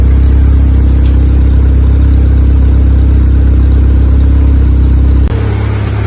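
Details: Honda EK Civic with a freshly built Vitara D16 turbo engine on its first start-up, radiator cap off; steady, even fast idle that won't settle below about 2000 rpm. Owner thinks it is an ECU setting and suspects the throttle body.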